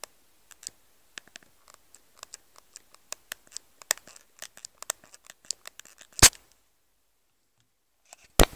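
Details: Nokia N96 handset in a quiet room: sharp, irregular faint clicks and ticks roughly every two seconds; strange noise with no clear cause.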